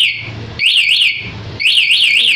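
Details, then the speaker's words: CR-7 alarm fitted to a Yamaha Jupiter Z1, anti-robbery mode triggered by remote, engine cut: loud, high warbling siren sweeping up and down in repeated bursts, still sounding when restarted by switch. "Caranya gembok tutup, pencet sekali, motor mati, sirene bunyi. Kemudian pada saat hidupkan lagi menggunakan saklar, tetap bunyi."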